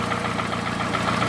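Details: Toyota Camry, 2AZ gasoline engine, 220,657 km, smoke from under the valve cover; recorded by the running engine: idle with light, regular tapping over a rough, loud engine note. Knock cause not determined.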